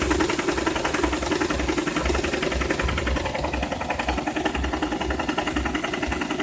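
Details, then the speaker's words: Car engine knocking at idle: uneven, periodic rather than constant knocks at about 160 a minute, with jerking and a weak, faltering idle as if about to stall. It stalled after a traffic light yesterday and needed heavy throttle to clear the knock. Cause unclear. "давай заводи начиная дергаться двигатель и шум исходит вон окутала шон периодичны то есть не постоянно"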